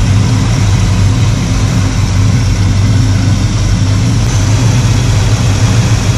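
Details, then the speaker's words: 1985 Chevy C10 with a 307 small block after carburetor tuning, all vacuum sources plugged in: deep steady rumble with no misses, knocks or hunting; normal idle. "Hopefully our RPMs will be sitting at the same, right around 700, with all the vacuum sources plugged into it."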